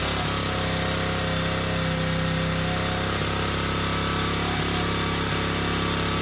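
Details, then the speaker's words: 1977 Honda XL75 single-cylinder dirt bike just revived, running on choke: fast, steady idle with a slightly uneven beat that won't settle; throttle is bunged up and sticking, and slight fuel seepage around the float bowl. "Our throttle's all bunged up, which I knew that. And I guess it likes running with the choke pawn."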